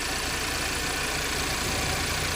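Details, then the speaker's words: Audi EA888 petrol engine normal idle for comparison with a clanging one caused by intake camshaft and timing adjuster wear: smooth even low hum with no knocking or clatter. "最后附上正常的发动机声音，大家可以对比一下。"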